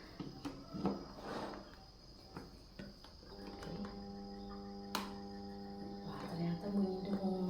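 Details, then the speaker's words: Electric fan (kipas angin) plugged into a socket verified working with a lamp: after a few clicks, steady low mains hum, blades not turning, no power; motor stalled, cause not yet found before disassembly. "Ini kipasnya enggak jalan ya, Guys, ya. Ini hanya bunyi berdengung aja, enggak ada apa, enggak ada tenaganya."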